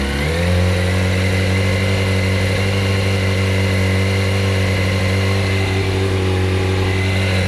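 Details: 2007 Yamaha R1 at idle: engine settles into a steady hum with faint rough tapping underneath; owner wonders whether camshaft or clutch springs/basket, cause unknown.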